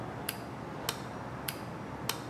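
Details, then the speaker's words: Bosch automotive relay on the bench with terminals 86 and 85 energized: four crisp sharp clicks about 0.6 seconds apart in a quiet room as the contacts pull in cleanly; relay working properly. "so again i have 86 and 85 hooked up and when i touch it you will see right down here in that little window you're going to see the contacts touch and that will be telling the big electrical signal to happen"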